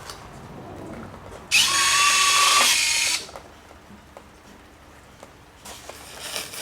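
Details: FMS Viper 70mm V2 EDF jet, 15th anniversary edition, with CNC metal landing gear, during setup: a short, smooth electric whir of about a second and a half that stops cleanly; normal retract operation.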